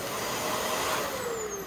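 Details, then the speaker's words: Curb-found 2013 Shark Rotator NV501 vacuum running with bin on: smooth even motor whirr, clean high tone easing down as it slows, no rattles; motor sounds healthy, kept for parts. "Oh yeah, that motor sounds awesome. So, honestly, I might transfer this piece on my other rotator cuz my other rotator has a iffy motor."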